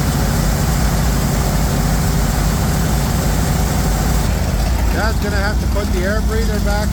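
Deep, steady engine rumble with no misses or knocks over a few seconds; the engine has fired and is running evenly.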